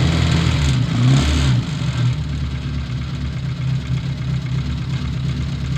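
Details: Old Austin Mini Cooper with Lucas/MSD ignition, just after first start following a no-start: uneven, lumpy low idle with wandering beat and throttle blips, sounding rough before tuning; distributor and fuel adjustment later smoothed it out.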